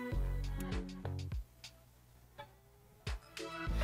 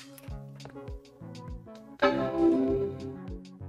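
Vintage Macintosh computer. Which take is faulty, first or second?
first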